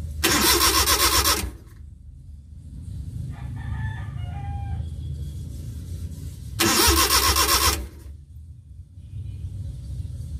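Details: Multicab with F5A 6-valve engine: two bursts of rapid, even starter cranking about a second each that never catch; engine turns over fine but won't fire, troubleshooting ignition coil. Cause suspected, not confirmed.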